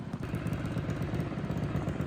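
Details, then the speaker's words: Small single-cylinder engine on a custom racing yard kart, with fresh oil, revved at held throttle: an even, busy buzz with no rattle. It revs freely and sounds healthy. "Just put fresh oil in it, and now I'm giving it a bit of a rip. Thing turns up like it's nothing."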